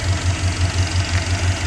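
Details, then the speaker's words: 1989 Jeep Grand Wagoneer with freshly rebuilt AMC 360 V8 and Holley 2300 EFI, started under the raised hood: smooth, even low idle with a soft steady pulse, no knocks or ticks. Very quiet, healthy idle. "And this engine's very quiet."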